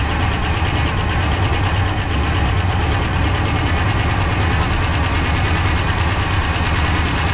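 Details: 1966 Pontiac Grand Prix, 389 CI V8, automatic, barn find unused about 30 years, first start on slight throttle with little fuel: uneven fast-idle lope with ragged stumbling beat; chewed spark plug wires; fuel pump not pulling.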